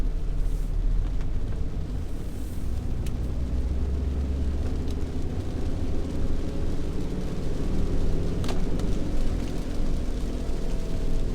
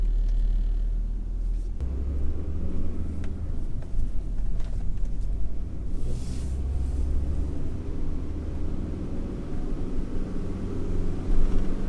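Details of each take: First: Driving test of a Yage, before repair: deep steady rumble under road noise that grows louder as speed rises, bearing noise rather than tyre noise (tyre noise is loudest when decelerating); worn wheel bearing growl, later replaced. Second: Yage, road test after the wheel bearing was replaced: only low even road rumble, no growl rising with speed, previous noise clearly gone; normal wheel bearing.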